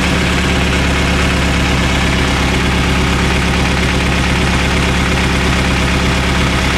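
Deep idle with an uneven, stumbling pulse where the firing beat keeps breaking rhythm; sounds like a misfire, cause unknown.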